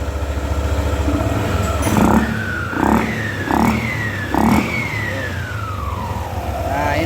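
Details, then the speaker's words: 2017 Yamaha NMAX after CVT pulley repair for heavy body vibration: four quick throttle blips with a smooth whine rising and falling with revs, no rattle or shudder; vibration gone, running normally. "idealnya seperti ini ya tadi yang awal Belum diganti Itu udah masuk ya sudah menekan harusnya seperti ini ini normalnya Oke kita matikan teman-teman motor sudah normal getaran sudah hilang"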